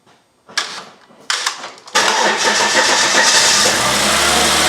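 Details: 2012 Volvo XC90 3.2L six-cylinder after spark plug and coil boot replacement; some plug wells had oil: two cranking bursts, then it catches and settles into a steady, even idle with no stumble or misfire.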